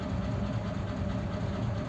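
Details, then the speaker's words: Old French flathead engine in a 1941 pickup, in neutral at idle, about 15 psi oil pressure, temperature near 170: low steady idle with faint constant gentle whine from mismatched cam and crank timing gears (a gear previously changed). "that's about 15 psi on the idle lows I can I can hear that gentle wine on that gear"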